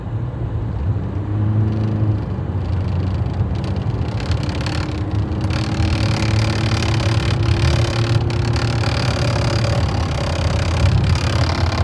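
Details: Fiat Freemont driving: thin tone climbing in pitch with speed over low road hum, an unusual whine whose source is not pinned down.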